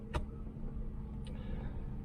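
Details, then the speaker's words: 1995 Mercedes S600 V12 (Japanese import, about 30,000 on the odometer) idling in Drive: low, steady rumble with no shudder or clunks. Engine mounts and shifter bushings are good, with vibration barely felt. "engine mounts very very very much alive shifter bushings are good you've you better yeah i mean you're barely feeling it"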